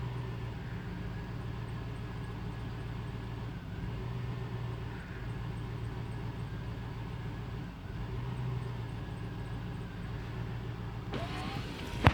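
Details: 2002 Chevrolet Tahoe V8, cold: low uneven idle with wavering beat and occasional stumbles; carb cleaner helped briefly, owner suspects intake or intake gasket rather than MAF, plugs to be changed; cause unclear.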